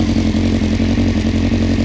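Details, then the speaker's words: Honda CBR900RR Fireblade with hot-start problem, running after fitting a Blackbird rear light: even, regular idle, smooth exhaust beat, light mechanical clatter, fuel cut-off relay clicking constantly; engine itself healthy. "So in terms of how the engine's running, it's pretty healthy. I mean, it runs nice"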